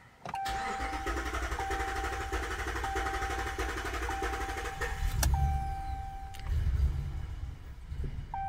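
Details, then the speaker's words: 2021 Ram 1500 5.7L Hemi cranking with the fuel pump fuse pulled. The starter whines with a galloping, uneven lope, and lower starter current draw on one stroke shows low compression in one cylinder, assumed to be cylinder 1, which logs the misfires. "you can see that there's a significantly less um amperage being drawn by that starter which kind of tells us there is low compression in uh the one cylinder"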